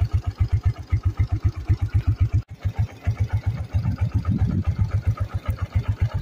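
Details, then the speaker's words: Suzuki Shogun SP (125) motorcycle, nearly 18–20 years old, idling after tune-up, oil change and service; earlier misfiring and weak from failed regulator/rectifier and CDI, both replaced. Soft, even quiet putter about four beats a second, no knocks: smooth healthy idle. "nyaris enggak kedengaran ya suaranya jadi halus lagi karena ini sudah diun up lagi"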